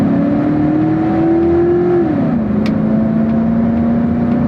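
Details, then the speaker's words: 1999 pickup, full-throttle acceleration with automatic upshift; engine pitch climbs hard then drops cleanly into next gear, a little rough but hardly at all under load. "Really doesn't shift that bad under load. It's a little rough, but hardly at all."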